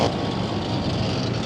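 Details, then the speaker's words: Lennox package rooftop AC unit with repeated failures, running after compressor start at 102 amps: steady, even whir from the belt-driven blower with no squeal, chirp or slap; belt runs smooth, no problems. "I can hear the belt. Sounds really nice. Oh, that's good. That's really good. No problems here."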